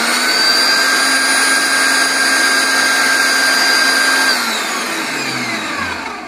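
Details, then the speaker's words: Kenwood MG510 electric meat grinder after repair, running under load with a steady, even motor whine, then switching off and winding down. Worn reducer gear replaced with a slightly larger 104-tooth part; it turns well under load. "нагрузкой хорошего крутит ремонт закончен"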